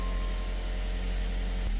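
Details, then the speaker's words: 2018 Toyota Corolla started right after replacing its dead 12V battery with a new genuine Toyota lead-acid one; smooth, even low idle hum with faint steady tone, no knocks or misses, running normally. "Yeah. I am able to start the car. So, I think we are good."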